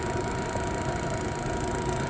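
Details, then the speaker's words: DeWalt portable propane heater after wire-brush cleaning of its thermocouple, start button released: steady, even burner roar with no sputtering or dropouts; the heater stays lit and burns normally. "Alright, let's see if it stays lit. I'm gonna let go of the button, start button."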